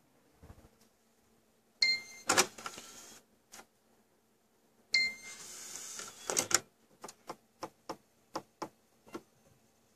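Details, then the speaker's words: Xbox One disc drive, out of warranty, switching discs: two whirring spin-up bursts then steady ticking about every half second, no read after repeated retries; to be sent for repair. Disc drive failing to read, repeated clicking. "well that was terrible I swear it sounds like it's grinding the disk up so no read check it yep no read"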